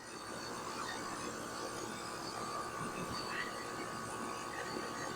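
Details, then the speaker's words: Outdoor AC unit with a scroll compressor started after being washed: even, steady mid-pitched hum with no knocking or rattling as the compressor and condenser fan run normally. "While you're waiting, you just kind of look at things, make sure the fan's moving properly and nothing's in the way."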